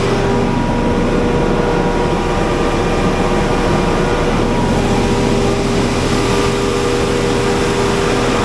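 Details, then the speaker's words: Generator after repair, cage refitted, started to run about 20 minutes watching for vibration or wobble at pulley and alternator, battery around 13 V: steady even drone, constant pitch, no knocks or surging; running normally. "We're going to fire this thing up. It's going to get loud a little bit, but I'm just going to keep an eye on everything and make sure that we are good to go."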